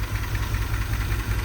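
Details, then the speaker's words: Truck before Berryman cleaner treatment: a deep, lumpy idle that surges and stumbles unevenly, misfiring. The engine rocks heavily because the motor mounts are completely shot. "This thing is bad. As you can see, it just sits there and rocks like a motherfucker. And it's also because the motor mounts are completely shot."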